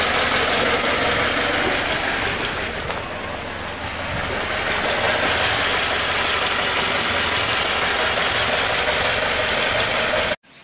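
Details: 2008 Pontiac G5 2.2L Ecotec, 244k miles, P0300, new plugs and coils: idle with uneven beat and occasional stumble every few seconds, misfire shifting between cylinders 4 and 1/3; smooth under load, no vacuum leaks found.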